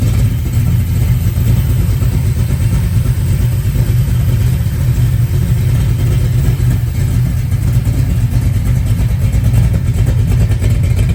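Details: 396 big block Chevy on a run stand, first run after rebuild with fresh oil, open exhaust, stock-jet carburetor: deep even rumble holding steady, no ticking or knocking; healthy and clean running.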